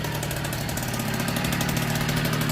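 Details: 1964 NSU Quickly S23 3-speed two-stroke moped, first start after engine rebuild, some smoke expected from oiled crank parts; quick, even popping idle with no misses or knocks, healthy.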